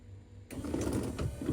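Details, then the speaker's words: Wiper motor on an AK 427 Cobra replica during its build, switched to first position with no wiper arm fitted, rotating the correct way: the small motor whirs with a light, steady ticking and no grinding or straining; normal operation. "Wipers. So do wipers into first position, and I'm relieved that they are rotating the correct way."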